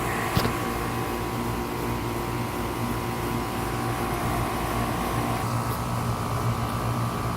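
Steady fan whoosh with an even low compressor hum and no rattles or squeals; the outdoor unit runs normally.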